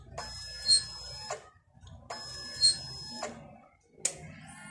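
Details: DNP DS-RX1(S) photo printer with red error light always on, plugged into 220 V with no paper or ribbon: shrill beeps about two seconds apart keep repeating in a quiet room; error persists despite restarts, cause unknown.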